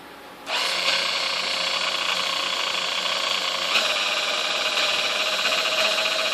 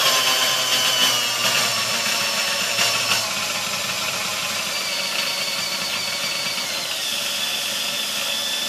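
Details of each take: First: Sunbeam Mixmaster model 1-7A (235 W) before service: high buzzing motor whir wavers and surges in pitch on the lower half of the speed dial; it struggles at low speeds and was fixed by replacing the speed-control resistor. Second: Sunbeam Mixmaster Model 1-7A after cleaning, fresh oil, new grease and a resistor replacement: a steady high-pitched whirr stepping up with speed, steadier through all speeds, though the lowest speed still skips slightly. Normal running.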